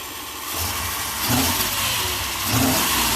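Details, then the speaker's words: Old short bus, sat roughly ten years, started on better used battery, serpentine belt off; engine catches, settles steady, two clean revs rising and falling smoothly: normal running. "[Music] So, this thing works."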